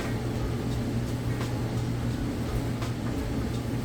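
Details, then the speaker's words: Whirlpool electric dryer just started with no vent hose fitted, so the blowing is louder than it would be once vented: steady low hum and even airy rush, no knocks or scraping; running smoothly and normally. "And as you can see in here, it's running nice and smooth. And it would be even quieter once you get it hooked up and you put the vent hose on the back. It'll muffle that blowing sound there, and it'll be just about silent."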